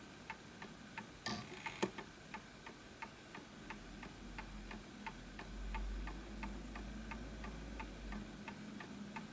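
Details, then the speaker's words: Antique Enfield Westminster-chime mantle clock, fully wound: crisp, evenly spaced ticks with no limp; almost perfect, running in beat. "So as you can hear, it's almost perfect."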